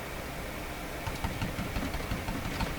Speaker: and you might hear a new sound in here you don't normally hear that's the cooling fan on that big DC power supply in case you can hear that